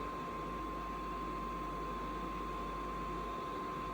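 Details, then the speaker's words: HCALORY diesel air heater on a cold snow day, shut off by remote: fuel pump no longer ticking, steady even fan rush with a faint constant whine, still blowing some heat during its normal cool-down cycle. "And uh you can hear the pump is not pumping anymore. And it's going through basically a cycle to cool it itself down. Um, and it's still blowing out a little bit of heat, too, while it's cooling down."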